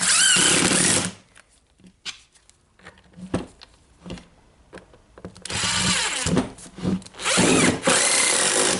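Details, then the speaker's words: Milwaukee AGV 15-125 XC angle grinder after replacing the faulty controller unit (was not regulating motor RPM) and carbon brushes: even high-pitched spin-up to steady whine, no surging or crackle; in good working order. "Yeah, okay, so now we can turn it on again. Seems like in good working order."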